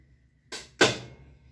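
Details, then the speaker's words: Whirlpool 17 kg washer that fills but stops washing, in automatic test mode: two short sharp clunks half a second apart as the shift actuator switches the agitator mode; normal actuator operation. "y es lo que está haciendo el cambio es una pieza que se llama actuador que cambia el movimiento de la agitadora"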